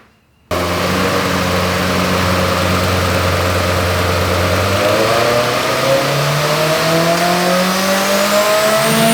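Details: Turbo Honda on dyno with unique turbo manifold, PTE 6266 / S300 turbo, CTR cams, 1000cc injectors, 9:1 pistons/rods, 14 psi boost: smooth wide-open pull climbing steadily, no stumble or popping; clean, though weird powerband, not full boost until about 7000 rpm.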